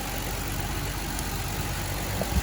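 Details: 2008 Hyundai Veracruz V6 idling after an alternator replacement and belt refit: smooth, even idle with no knocks, ticks or belt squeal; about 14 volts measured, so the alternator is charging.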